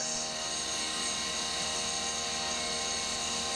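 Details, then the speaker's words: CNC milling of the 3D lightening pocket on an AR15 high rail gas block: steady even high-pitched cutting note with no rattle or warble; the same cut chattered elsewhere but runs clean here. "now curiously on this path which is the exact same cut it doesn't chat"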